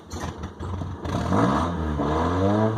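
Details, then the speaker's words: 1998 Honda Accord: the engine stumbles as the throttle opens, then revs up. It runs fine held at about 2,000 rpm but idles way down when the throttle is released. The owner suspects air-fuel mixture or the throttle body sensor. "so you can see I'm putting fuel down to it right now and you can hear it hesitate"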